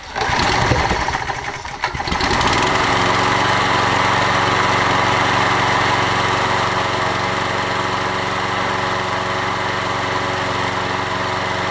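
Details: Toro 20789 mower, worn Briggs & Stratton Intek engine: slight hesitation on restart, then steady even run without misfire; restarts more easily than before, normal running.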